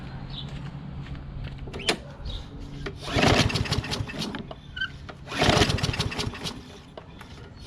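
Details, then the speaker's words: Craftsman push mower, Briggs 550EX engine, hot, original muffler refitted, makeshift choke removed: two hard recoil pulls, coughs briefly but never catches; hot no-start; owner plans a new carburetor. "It doesn't start at all now. Crazy talk, man, crazy talk."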